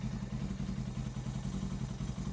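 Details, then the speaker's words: Suzuki GS500 not ridden for years, during a full service: uneven, lumpy, loping idle as if on one cylinder; right cylinder reads 56° against 150° on the left, so it isn't firing. "sounds like it's running on one cylinder"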